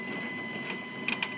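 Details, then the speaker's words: Stepcrap 840 CNC during X/Y/Z setup after snugging bolts: axis traverse gives steady high motor whine with a few sharp clicks near the end; drive sounds rough, cause unknown. "now let's see if it'll go back and clear clear that and now we're going to go back boy does that sound like"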